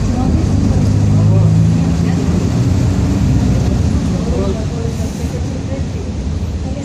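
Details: 2007 Grande Londrina 1110 Torino bus on Mercedes-Benz OF-1722M chassis, line 505, recorded 2021, onboard while rolling along: heavy low drone growling under the diesel; differential growling.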